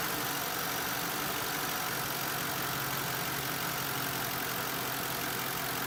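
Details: 2005 Mercury Marquis engine running with a busy hiss-laden rattle and no clear knock rhythm; bad water pump suspected.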